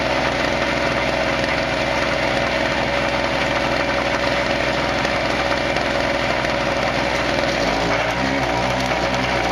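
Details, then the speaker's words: Harbor Freight 900 peak/700 running W generator, 63cc 2 HP two-stroke, powering a Hobart welder: steady drone behind loud music, then the engine note shifts and climbs as the governor opens the throttle under welding load; welds showed no penetration. "yep the throttle changed you can hear it so let's see what happens whether we can zap it or not"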